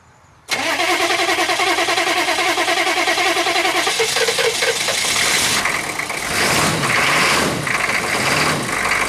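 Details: GM 6.5 turbo diesel first start after sitting about four to six years, low on coolant; it cranks, compression is doubted, then it catches with smoke and runs lumpy and uneven for a few seconds before the beat settles.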